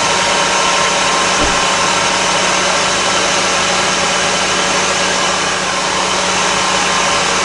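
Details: 2003 Honda Civic Hybrid after a new spark plug fixed its clicking/ticking issue: loud, steady, even idle drone with no tick or click, now running cleanly.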